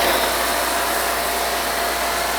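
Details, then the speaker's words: RealYou no-dilution foam cannon, soap tank on top, spraying undiluted Adam's Mega Foam; steady, even hiss of spray with a constant pump drone and no sputtering or surging, giving heavy foam. Normal spraying. "Guys, as always with Adam's as mega foam, the foam production is insane."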